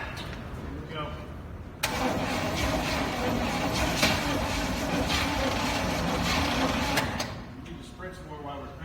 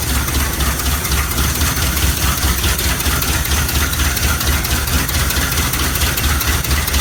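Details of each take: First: 1969 Chevy C/20 with 327, first start attempt after 40 years with spark confirmed, new points and gas down the carburetor: cranks hard and evenly about five seconds but never fires; owner suspects the starter. Crank, no start. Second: 1969 Chevy C/20 with 327 V8, first start after 40 years, muffler cut off, ignition and exhaust work done: loud, lumpy but steady idle, regular exhaust pulse, no knock or misfire; runs quite well.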